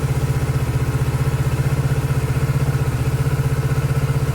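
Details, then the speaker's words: 2019 Kawasaki ER6/Z650 auction bike, unknown engine history, first start: steady, even low thrum at idle with regular beat, no clatter, misses or smoke while warming up; normal idle. "oh wow this amazing what a result engine sounds good no smoke"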